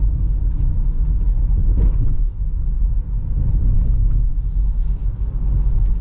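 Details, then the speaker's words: 2022 Honda Pilot TrailSport AWD with 211 miles, test-driven on a very rough road while turning left and crossing a railroad crossing. Low steady road rumble with one soft thump and no suspension rattles or clunks. "lucky for you it's a very rough road that we're driving on and this is sounding great"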